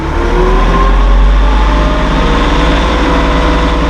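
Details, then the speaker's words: Massey Ferguson 1700 series hydrostatic tractor in neutral, cab open; diesel climbs smoothly from idle to PTO speed under electronic auto throttle and holds a steady, even drone with no knocks or rattles, healthy. "all the way up to PTO speed you can hear that autothrottle working for you it's electronic by the Hydra status"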